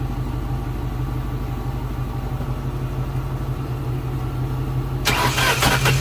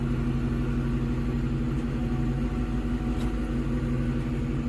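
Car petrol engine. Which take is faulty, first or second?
first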